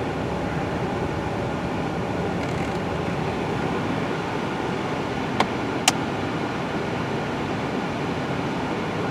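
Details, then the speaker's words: Chevy Equinox (battery-draw diagnosis) after HVAC actuator learn/recalibration: two sharp plastic clicks over cabin hum as the hot/cold blend door drives toward hot, sounding like plastic about to break; actuator clicking suspected. "yeah see i just heard some clicking there let's see let's put her on the foot let's go back to hot yeah a little bit of clicking on the hot cold door"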